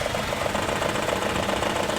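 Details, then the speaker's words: Maruti Suzuki WagonR K-series with the check engine light blinking and a bad misfire (one cylinder dead, burning oil); idling with a quick, steady knock about seven times a second from a loose 14 mm engine mount nut. "और एक sound भी आ रहा है इस mounting का जो नट है वह लूज है"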